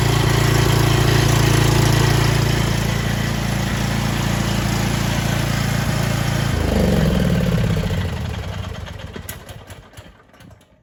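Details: Cub Cadet XT1 small single after oil and filter change: starts straight up, holds a smooth, even idle around four beats per second, then shut off and dies cleanly; normal idle.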